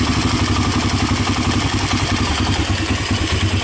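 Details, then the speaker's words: Honda TRX300EX single, formerly seized, running on PZ27 carburetor via adapter, idle turned down; smooth steady idle thump, no top-end ticking or timing chain rattle; normal idle. "the idol is down yeah it sounds good no timing chain choices no dad's down so I think I think we're all good"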